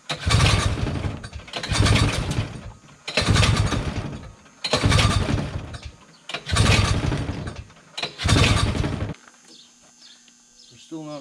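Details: 1971 Massey Ferguson Ski Whiz 300s snowmobile, JLO single-cylinder, sat 20+ years, old fuel removed: six short bursts of firing about every 1.5 seconds, each catching then dying; owner says not enough fuel, diaphragms and pump may be dry.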